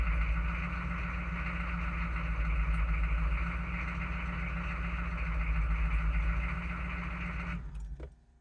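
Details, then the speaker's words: Chevy/GMC 6.5 turbo diesel with aftermarket turbo, first start of the day: fires and runs rough and lumpy for several seconds, then shuts off; symptom of an inexpensive pump-mounted driver (PMD), restarts fine afterward. "so you saw there uh you saw the truck fire up um as we' said a couple times now had a bit of uh a rough start with the uh inexpensive PMD"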